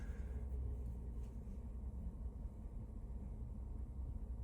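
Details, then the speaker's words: 2019 Ford F150 5.0 V8, 77k miles, stumbles or nearly stalls coming to a stop; revved then throttle released: quiet low idle that wavers and sags unevenly, shaking toward a stall; bank 2 (driver's side) intake VCT solenoids found faulty. "it'll literally shake really bad, like it's going to stall out."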